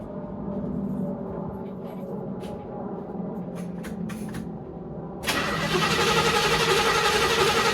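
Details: 1963 Chevrolet C10 that sat nearly two years, battery just reconnected: several seconds of steady cranking, then it catches at once and settles into a full, even idle; starts fine after long storage.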